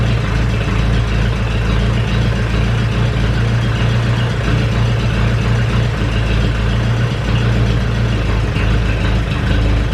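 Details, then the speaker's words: Ferguson 20 petrol/TVO four-cylinder tractor, sat 10–15 years, running indoors with leaking coolant hoses: steady even low-pitched idle, no misses, knocks or stumbles; oil pressure good, running cleanly. "oil pressure looks good she's running quite cleanly right yeah let say she's a runner"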